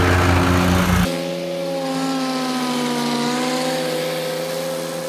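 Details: 2013 Walker T23 commercial mower, 23 hp Kohler, revived after years in a paddock with a new hydraulic line, mowing: loud start, then a smooth, even drone with a steady tone under load, no knocks or misses; normal.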